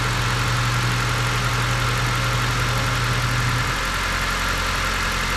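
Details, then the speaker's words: 2014 Dodge Avenger 2.4L after cylinder head and head gasket replacement; slight misfire at first start, likely assembly lube in the head, then smooth even quiet idle with steady low drone, no knocks or ticks; normal. "sound too bad you probably had a little assembly Lube in the cylinder head and that's why I kind of misfired to start with but it's uh it's only real good nice and quiet"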